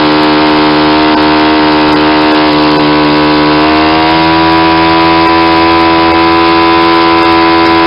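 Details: Saito 50 four-stroke on its first run after a rebuild (new ring, new bearings), warm, APC 11x7 prop, Omega 10% fuel. A steady high buzz steps up in pitch and holds higher as the needle is leaned toward peak. The exhaust smoke decreases; the mixture is lean.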